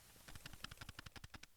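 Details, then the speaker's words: Sony 16-50mm kit zoom on a ZV-E10 shaken by hand: a quick run of about a dozen light clicks from loose internal play; it's not broken, just rattly. "it's not broken it's just rattly"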